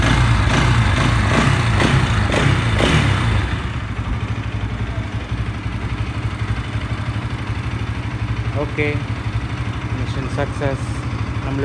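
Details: Bajaj NS 200 single-cylinder, dead battery after sitting a month, started by jumping from a KTM RC battery; crisp revs settling into a steady, even idle with regular beat, no stumbling; running properly.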